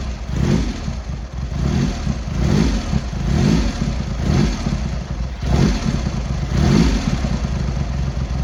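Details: Triumph X75 Hurricane triple after rebuilt carbs, pilot screws richened and left carb corrected, not fully warm: lumpy idle with throttle blips picking up cleanly and settling evenly; running much better, rich at idle with dark smoke off idle, left carb body suspect.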